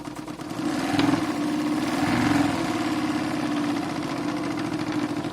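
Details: Renovated Stuart D10 double-cylinder steam engine for an RC live steamboat, with new Teflon cup pistons, run through its speeds: soft, even chuffing at about three and a half beats a second, speed shifting slightly, no knocks; normal running.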